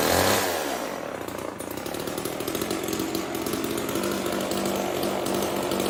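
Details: Old Homelite chainsaw, owner guesses 1960s or 70s, cutting wood after reassembly: high buzzy two-stroke revs up and holds steady, pitch dipping slightly under load; running strong and clean, though owner says tuning could improve it.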